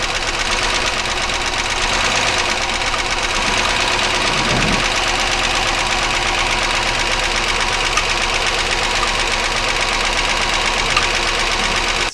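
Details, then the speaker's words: 1999 Chevy Malibu 3100 V6 with internal engine noise; sharp knock unchanged when cylinders are dropped by pulling plug wires at the coil, only slowing from the misfire, suggesting not a bottom-end knock, cause unconfirmed. "obviously you can hear there's no change in the sound again you notice the sound gets a little slower because of the misfire that we're causing but the actual sound doesn't change"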